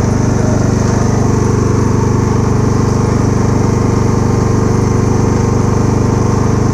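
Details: Kubota A3500 generator, about 10 hours use, replaced spark plug, uses some oil: small single-cylinder engine holds a steady, even beat at constant speed, no misses or surging; normal steady running.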